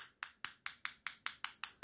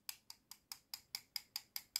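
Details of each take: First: About ten light metal taps on a cylindrical lithium-ion cell give a thin, hollow ring. A genuine cell is heavy and gives a fuller, duller sound, so this lightweight cell is counterfeit. Hollow tap sound of a fake cell. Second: Lithium-ion cell tapped with a metal object: about five quick solid clicks a second with no hollow ring, the full sound of a genuine, heavier cell, whereas a fake, lighter cell sounds hollow.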